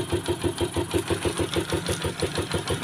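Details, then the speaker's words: Rusi Macho 150 motorcycle after tune-up and oil change (clogged oil passage cleared so rocker arms lubricate), cold engine: low, even single-cylinder idle about three beats a second, earlier valve ticking gone, no longer stalls; quiet, healthy. "Tahimik na tahimik. Mababa pa yung minor niyan. Nawala yung lagitik."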